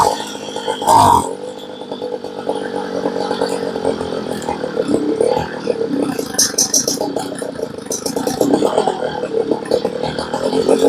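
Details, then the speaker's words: Homelite blower that only ran on choke, after carb rebuild, during outdoor tune: small two-stroke buzzes unevenly, revs rising and sagging as low-side needle is adjusted to set idle; high side still almost fully turned in, mixture still being set. "So you can see we went to the low side and we adjusted it until we got the idle about where we wanted it."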